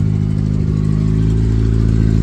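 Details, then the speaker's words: 1991 Ford Ranger 2.3 four-cylinder after new fuel injectors and fuel pressure regulator: even low idle with a steady pulse, no misses or stumbles; truck runs much better, normal idle. "But yeah, way better. Truck runs good."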